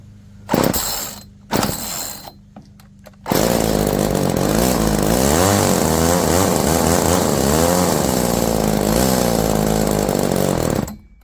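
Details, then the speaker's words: Roll G2000 two-stroke chainsaw winch carburetor, choke eased, idle screw turned up with no effect: pops then wavering, hunting note that won't settle; poor idle, high-low air-fuel mixture screw may need adjusting. "Yeah, idle adjustment didn't do anything, so this bottom screw here is the high-low air fuel mixture, so turning it out lets more air in, turning it in restricts the air."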